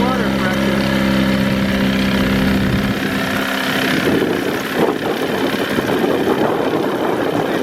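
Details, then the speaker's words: 1961 Mercury Super Hurricane (Merc 200) outboard on a 1959–60 boat, after water pump cartridge rebuild and new powerhead gasket installed the right way round: steady, even, smooth idle hum, then splashing water as the pump now sprays good water; runs clean. "okay well i would say it makes a difference how the gasket goes on good water"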